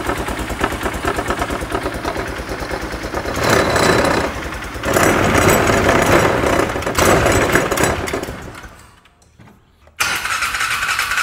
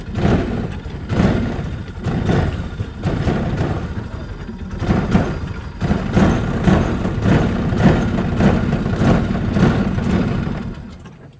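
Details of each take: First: Polaris Ranger side-by-side after drying water from intake, air filter saturated; revs up and settles back, briefly dips nearly silent then picks up, otherwise steady even run while warming to operating temperature; normal running. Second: Polaris Ranger side-by-side, 500 engine, sat in shop a week and a half after drying, driven on an incline in low; engine surges and stumbles, revs rising and sagging, not pulling cleanly; bogging from water still in the intake pipe.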